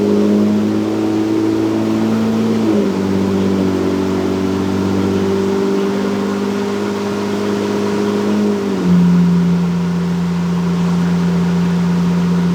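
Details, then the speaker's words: 2023 Ford Raptor 3.5 EcoBoost, PCM-swapped, on MPT E85 tune, cold start after sitting with Baja exhaust mode on: smooth steady idle, hum stepping down twice as fast idle settles; normal healthy cold start. "Fired up perfectly, sounds great, nice and stable. What can I say?"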